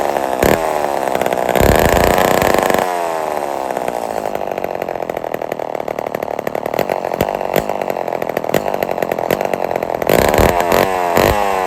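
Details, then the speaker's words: Old Homelite XL12 two-stroke chainsaw, first start in a long time; buzzes and revs unevenly, and at idle labours and bogs dragging the chain. Clutch or its springs faulty, letting chain turn at idle. "so the clutch is no good or the springs in it are no good cuz that idle um she's trying to turn and you can hear when I was trying to slow it down and stop it with a scrinch that uh the engine was bogging down"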